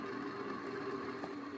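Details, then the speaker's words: 1990 Heritage Spector 36-inch ceiling fan on medium speed: a constant droning hum with a rough whirring tone from worn bearings. Oiling has not helped, and the fan moves little air. "bearings are really getting loud now I've tried everything to try and quiet these bearings down and nothing helps it at all see medium it's really loud and it's not moving in the"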